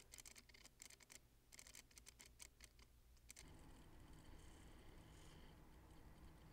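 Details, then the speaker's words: RC drift car (Fantasy 2) steering servo holding still after attempted fix with separate power wiring: rapid irregular clicking and buzzing, then faint hiss; servo chatter persists, unresolved. "now well that didn't solve the seral chatter problem as you heard"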